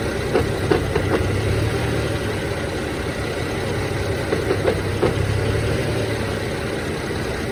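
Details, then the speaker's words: BMW E90, manual, warmed-up engine at rough idle: intermittent bursts of sharp clacking only with clutch pedal released, gone with clutch pressed, sometimes stops with A/C on; throwout bearing suggested but owner doubts it; cause unclear. "it doesn't make that clacking noise when the clutch is engaged so here I go I let it out you can hear it immediately it's it intermittent though"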